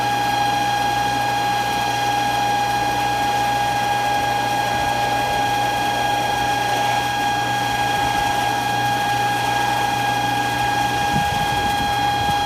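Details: Century Centurion pool pump motor running with water filling the pump housing: steady piercing high squeal constantly over the pump hum, never changing pitch or going away; cause unknown.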